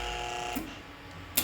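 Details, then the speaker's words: D&A Phantom 12 tube amplifier, keyed up with audio: a steady, rough electrical buzz with a low hum, fading between two sharp switching clicks, that started suddenly; repaired by replacing the filter capacitors. "it's tuned it's just got that horrible background noise all of a sudden"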